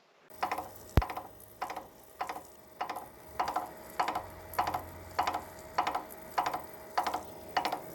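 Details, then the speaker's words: Mini lathe only 9 days old, running: sharp, regular clicks about 1.7 times a second over a steady motor hum, getting louder during turning, from a failing jack-shaft bearing; replacement parts arrived days later. "there's these little bearings here that uh there's like a little Jack shaft in there and one of these bearings started clicking"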